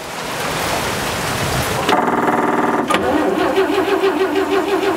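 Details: 1940s barn-find Chevrolet conversion truck with gas straight-six: the starter churns steadily at about three beats per second and the engine never catches or speeds up; cranking, no start.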